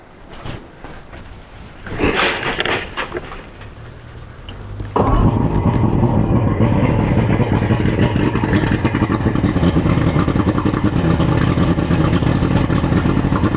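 Cranks and catches at about five seconds, then settles into a steady, even idle with no misses or knocks; outboard runs fine.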